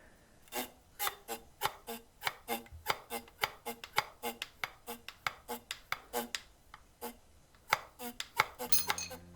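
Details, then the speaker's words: Alfa Romeo front suspension, upper wishbone worked by hand: short creaky squeaks about two a second from dried-out rubber bushings; fix is removing the upper wishbone to replace them. "problem is in these rubber bushings, which get dried out, so I'm gonna have to remove the upper wishbone to get to them."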